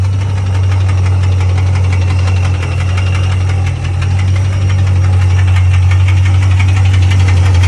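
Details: 2006 Pontiac GTO LS2 6.0 supercharged V8 idling with a steady regular knock about four beats a second over deep rumble; appeared suddenly, no codes, runs fine, rockers and pulleys checked, cause unknown (rod or lifter suspected).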